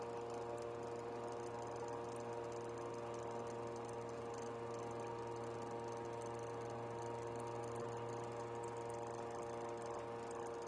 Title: PSU Makes clicking sound [HELP]